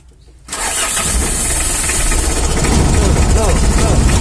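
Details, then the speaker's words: Mitsubishi L300 diesel, weak and sluggish, shaking badly: starts and runs with a hard, regular clatter about three knocks a second and heavy shake; knock from incorrect injection timing. "Ini bukan sekadar bergetar, teman-teman. Ini berbunyi gemerincing."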